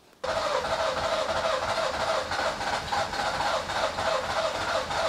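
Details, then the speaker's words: Nissan Micra K11 crank-no-start, already flooded, fuel pump heard running after its fuse is refitted: long cranking at about three pulses a second, so close to catching but never firing; cause not yet found, spark check next. "It is so close to catching."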